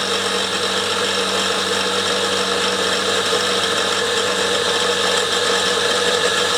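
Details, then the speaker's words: Fire-truck compressor pump converted from a 240 V motor to a 12 V hydraulic pump motor, running: coarse gritty rumble and hiss over the hum. The bearings are really rough and need urgent replacement; a knock also comes from the drive. "as you can hear the bearings are rough [Music] really rough that's these ones I need replacing urgently"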